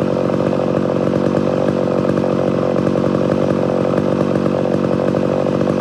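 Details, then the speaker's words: Homelite Super XL-925 82cc vintage two-stroke chainsaw, governor blocked off: lifted out of cut, steady high buzz with slight burble; intended four-stroking off load, not in a good cut. "so did you see how whenever i lifted this all up in a little bit it started doing the four stroking that's the way i want it"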